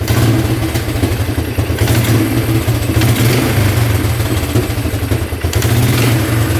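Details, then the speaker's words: Free Polaris Magnum 425cc 6x6 ATV, single-cylinder, said not to run: quick throttle blips climb cleanly and drop back smoothly, with no popping or backfiring through the carb. The owner guessed a bent valve or the cam, and now suspects the pump cured it. "not bad not bad at all no popping no backfiring through the carb yeah that sounds pretty good"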